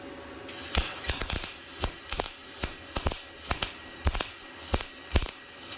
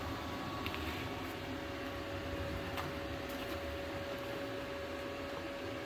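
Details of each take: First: Yes Welder MIG-205DS multiprocess welder, MIG welding with about 0.030 in tip: the arc crackles in uneven bursts, catching then dropping out, an inconsistent arc. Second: Yes Welder MIG-205DS MIG welding at max setting 24: steady even arc hiss with faint constant hum, no sputtering or popping; running cleanly after inconsistent arc at lower setting.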